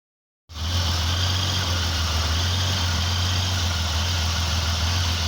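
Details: 2001 Holden VX Commodore idling in open loop: steady low idle with slight unevenness, no clear knock, no trouble codes; mild misfire-type rough idle, cause not found.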